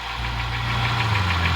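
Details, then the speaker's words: 2007 Honda Ridgeline at idle after camshaft replacement, front and rear valve adjustment, new timing belt, serpentine belt and tensioner: a crisp, even tick of about six or seven per second persists; cause unknown. "Ticking noise is still there. Does anybody have an idea what I should look for next or what I should fix next? I don't know what this noise is."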